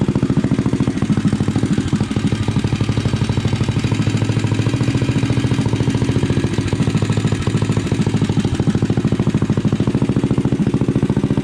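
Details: Rascal GT cruiser minibike with a DIY pit bike muffler bolted on by a bracket and floating unclamped on the pipe: small single thumping at a steady, even idle with no knocks or rattles and a pleasant tone; healthy idle.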